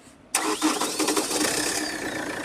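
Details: Chevrolet Cruze with a no-start and no trouble codes, traced to a poor earth connection: after the earth wire is reconnected, a quick crank, then the engine fires straight away and settles into a clean, even idle.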